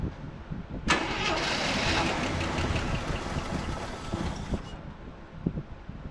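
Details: 1984 Chevrolet C10 pickup, six-cylinder, 84k miles, parked since 1993: after fitting a brand-new distributor it cranks briefly, catches and runs evenly with spark restored.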